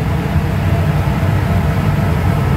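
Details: Refrigeration condenser motor at a store, heard after power was restored to a tower that had been down with no power and high pressure; deep, steady rumble with no knocks, rattles or surging, condenser running smoothly and evenly while condensers cool down.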